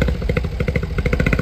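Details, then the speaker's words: Japanese import kei car that needs a tune-up: choppy, lumpy idle with irregular pulses, as if dropping a cylinder now and then; uneven idle, cause not confirmed. "definitely has a mire yeah it looks sounds like it"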